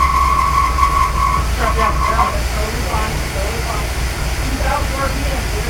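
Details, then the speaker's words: Newly rebuilt '65 Ford Falcon engine, first start after a year of restoration, oil primed and distributor just installed; loud, shaky, uneven running with irregular lumpy pulses and no settled rhythm, rough running, cause unclear. "that was so scary turning on a car and having it shake ferociously and make giant noises is never a good sign"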